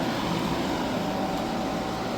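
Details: Hyundai portable AC after leak repair and recharge (it had gone warm after two weeks), set to 16° max cool: loud, steady rushing hum of fan and compressor with no knocks or rattles. It no longer ices up and is cold throughout, cooling normally.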